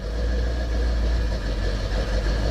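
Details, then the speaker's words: 1968 Pontiac ambulance with an Aces Killshot throttle-body EFI, cold start after sitting 2.5 weeks: steady, even low rumble at cold idle with no hunting or misses. It fired right up; normal cold idle. "This thing's been sitting for about 2.5 weeks. Fired right up."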